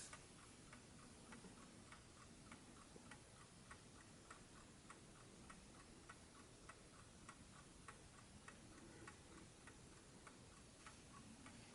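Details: 1968 French JAZ VINIC 1260-13 "DISCRETO" wind-up alarm table clock, mechanical calibre 4PA movement, known for its quiet tick, repaired: soft, quiet, evenly spaced ticks over a faint hiss with a steady beat; the movement runs properly.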